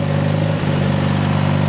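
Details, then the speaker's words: Farmall 140 (1974) at full governed throttle, which sits at a much lower RPM than the 1962 140's: steady, even, low-pitched engine drone with no knocks or misses; normal full-throttle running. "oh while I've got them both running I'll let you hear that they're both govern different this 74 has a much lower Full Throttle"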